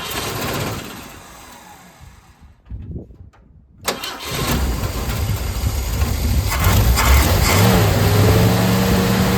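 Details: 250 inline-six with a Carter RBS one-barrel carburetor, before rebuild; earlier it ran only on choke and fast idle. Engine starts, sags and nearly dies, then holds only with throttle open; cannot idle by itself. Cause suspected, not confirmed.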